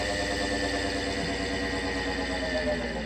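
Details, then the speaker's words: Solectria UMOC440 vector motor controller, repaired, driving an ACgtx20 AC motor with corrected parameters: slow throttle-up with regen enabled gives a steady, smooth electric hum, no stutter, through startup and regenerative braking to a stop; normal operation. "Crank it up really slow. I've got regen turned on now, and nice and slow. Nice and smooth startup."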